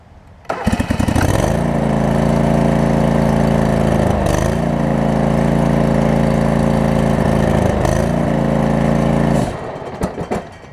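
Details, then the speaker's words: John Deere LX279 mower with new primary and secondary deck belts and a rewired PTO switch, unused for months: the engine runs steadily but dips and labors twice as the deck load comes on. Owner suspects stiffness from sitting. "currently it's too much load on the engine for it to uh to crank it over"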